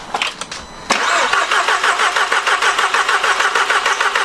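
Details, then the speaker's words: Stolen, fire-damaged Audi TTS Mk2 (8J), sat for about 12 months, cranked with coil packs disconnected to circulate oil, using a battery taken from a BMW. Steady, even starter whir at about three pulses a second, no firing: normal cranking. "Battery's not loving it, is it? Battery's not loving it. I took the old battery out, I put the one out of the BMW in, and hopefully this time it'll at least turn over."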